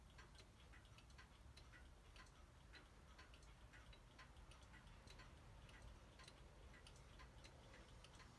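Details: Howard Miller 612-581 triple chime regulator wall clock after broken time spring and barrel and suspension spring replaced, cleaned: crisp evenly spaced ticks, steady beat, no skips or rubbing; in good beat. Normal ticking.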